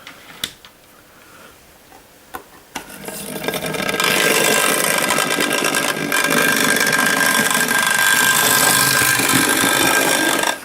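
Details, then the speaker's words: Hornby Dublo LNER N2 tank locomotive running on track: small electric motor whirs loudly and harshly at steady speed, far noisier than other locos; cause not found, to be bench-checked; excessively noisy motor. "engine that's a noisy Beast isn't it I think I better put that on the bench and see if we can't make that run just a little quieter"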